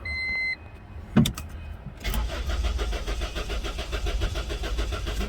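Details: Honda with no spark, towed to shop: chime, then starter spins the engine at about five pulses a second without firing; crank no start, diagnosis still a guess.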